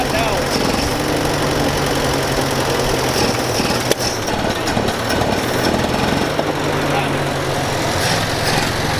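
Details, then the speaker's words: Massey Ferguson 65 tractor after carburetor cleaning, coolant topped up, throttle up: loud uneven chugging idle that stumbles and wavers; it runs but the carburetor keeps flooding out and needs more work. "well we know it's gonna run so we gotta work on it a little bit here all right sweet now we gotta work on it from not flooding out obviously now"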